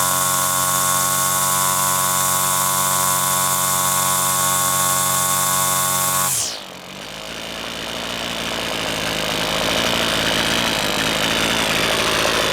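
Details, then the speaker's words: Husqvarna two-stroke string trimmer after its carburetor was disassembled and reassembled (diaphragms serviced), tested with the air filter off: screams at steady high revs, dips briefly and climbs back to a clean, even buzz. High-speed setting may need slight tweaking; otherwise normal running. "maybe some slight tweaking of the high still but that's about it"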